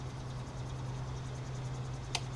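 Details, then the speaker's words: 2019 Camaro SS with a nitrous standalone fuel system, testing the fuel pressure safety switch: a single sharp click over a steady low hum as pressure crosses the 35 psi setpoint, clicking again going back above it. Relay and switch working normally. "you go you hear it click I'm gonna turn the pressure back up over to the 35 and it clicks again"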